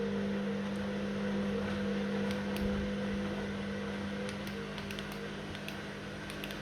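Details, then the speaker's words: Washing machine on drain and spin: steady low hum with a faint higher tone and light ticking, no strain or rattle, the drain pump now working normally. "yeah it was working up people it's draining already"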